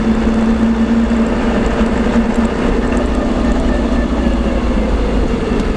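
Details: LT230 transfer case heard with sound proofing fitted: steady mid-pitched whine over constant road rumble while driving, pointing to a whining transfer case; cause not yet pinned down.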